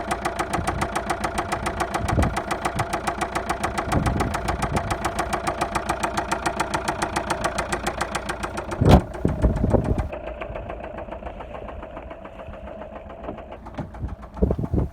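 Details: 2010 Vauxhall Insignia 2.0 CDTI, engine code A20DTH, 96K miles, at idle; dense, even rapping knock; suspected poor maintenance, failing oil pump or oil pickup rubber seal, not confirmed.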